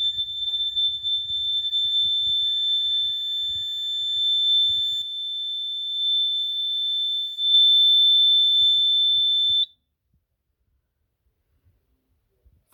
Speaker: monitor Zone trouble that is how supervisory current Works ladies and gentlemen